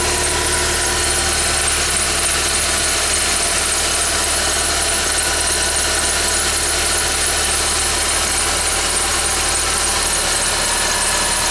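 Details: 2011 Ford Fiesta with only 10,000 km, cold start: a thin, steady high-pitched squeal rides over a smooth cold idle and stays constant; the source is not identified.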